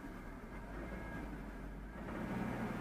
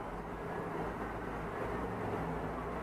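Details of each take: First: 2004 Chevy Tahoe with P0300 random misfire that stumbles at idle, during a brake torque test in drive: deep V8 rumble grows under load with an uneven, stumbling misfire. A spark plug visibly moves and an arcing sound is suspected. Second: 2004 Chevy Tahoe with a P0300 random misfire code, after replacing the spark plugs: a steady, even drone during a brake torque test in drive, with no stumbles. Healthy engine under load, no misfire.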